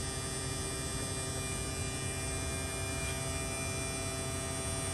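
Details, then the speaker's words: Mid-2018 Tesla Model 3 after AC compressor replacement, recharging with refrigerant, AC on maximum: electric compressor just turned on, steady even hum at constant pitch, no rattle or grinding; sounds healthy. "now the compressor just turned on you hear that now we're going to slow it down"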